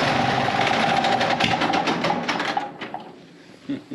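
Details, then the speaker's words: Gasoline pony motor on a late-1940s/early-1950s Caterpillar D6 cable dozer, a barn find that sat for years, first start: it catches and runs loud with a fast rattling beat, then trails off as it settles. Normal start. "she got a loud steep"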